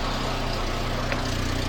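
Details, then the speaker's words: Volvo 480 after fitting yet another new centre/mid exhaust section, engine idling; sharp puffing hiss over each exhaust pulse, big leak heard at the front donut joint and some from the rear: exhaust leak at front donut joint, donut may need tightening. "I can hear quite a big exhaust leak coming from the donut n further down let's try the rear and quite a big bit from the rear"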